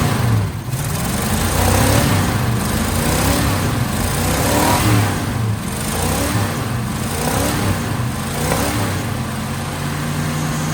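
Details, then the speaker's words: 1979 Ford F350 dually, 400M small block V8, auto, after sitting about 22 years: revs up and down smoothly with no popping or choking once plugged exhaust is cleared; runs healthy. "This thing runs so good."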